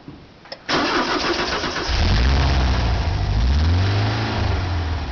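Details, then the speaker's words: 1976 Volkswagen camper bus engine, rebuilt around 2006 with under 12,000 miles since; brief crank, fires and settles into a steady, even, throaty idle with no knocks or misses; engine warm afterward; healthy normal idle. "great that sound awesome isn't it"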